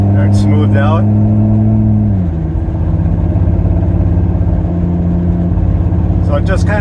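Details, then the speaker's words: 2002 Ford Excursion V10 under load climbing a hill: steady drone breaks into a choppy, uneven beat as a cylinder drops in and out; misfire worst under load, failed ignition coil (misfire followed swapped coil from cylinder 6), running on nine cylinders. "basically it's when it's underload um that's when it really starts to misfire if it's just kind of cruising Along on cruise control um right now I'm going up a hill so it's underload so um I just need the code to show up and tell me whether or not it is"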